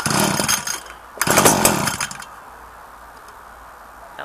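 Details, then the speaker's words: Echo SRM-2015 two-stroke trimmer cold start after about four months unused on four-month-old fuel, muffler cold, choked and primed seven times: two sharp high buzzing throttle bursts, catches readily without sputter, choke then taken off; normal cold start. "pretty good take choke off there you go"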